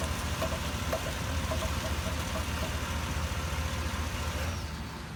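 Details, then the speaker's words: 2016 GMC Yukon Denali electronic power steering rack at steady idle: light, sharp clicking or knocking about twice a second while steering, with brief loss of assist. The owner suspects the drive belt inside the rack and pinion; not confirmed. "got a 2016 GMC Yukon Denali it's got a want to say kind of a click or a knock I guess when you're trying to steer and then you kind of lose steering a little bit there while it's doing it"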